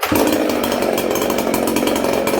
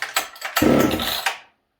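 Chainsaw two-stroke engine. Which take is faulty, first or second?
second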